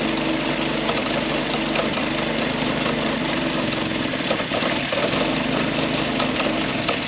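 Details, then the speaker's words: Historic Ford Willys Jeep "Go Devil" four-cylinder, long-stored, after points adjusted and fan belt tightened: fired right off and settles into steady even idle, no misses or knocks, some valvetrain clatter; normal idle. "Fired right off. Give her some more fuel. I'll be dang. Don't hear no knots, rattles. Oh, and I did tighten up that fan belt. And it's idling."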